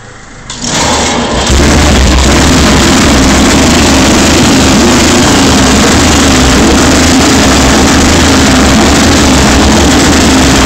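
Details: Rare 500cc Excelsior Manxman single test-started for the first time after an extensive rebuild, tank and brakes still unfitted: fires after a brief start and settles into a loud, steady, even beat with no knocks or misses.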